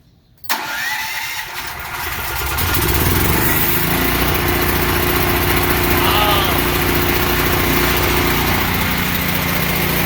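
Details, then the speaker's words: WEN generator started after sitting 6 months, with its battery kept on a tender and oil checked good: a brief crank, then it fires at once and builds to a steady governed run with a smooth, even drone. Normal start and run. "Fired right up, no problem. The battery tender did its job. That battery was solid, very strong, no problem."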